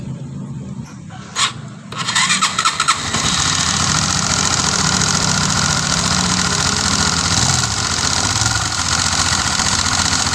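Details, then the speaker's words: Honda Sonic 150 (K56) single-cylinder running with the head opened: very noisy top-end clatter from excessive, uneven valve clearances (0.25 mm intake and 0.30 mm exhaust gauges fit), poor oil flow to the head, and camshaft wear on one side. "Oke ya. Ini suaranya itu berisik banget ini. Ini saya cek dulu olinya."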